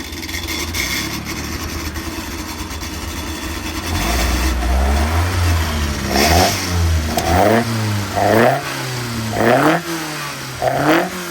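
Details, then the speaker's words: Customer's freshly built engine fired up after the build to check it sounds right and holds the same pressures as before: settled idle, then crisp throttle blips about once a second, no knocks or misses; healthy. "What we'll do is we'll just fire it up now, make sure it all sounds and looks does all the same pressures as it did before, and then I can ring the customer and tell them we've actually done something this month."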